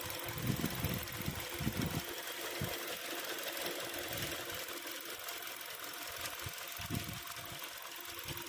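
A quiet, fast, light rattling chatter over a soft idle; there is a metallic rattle from the engine, but its cause is unclear.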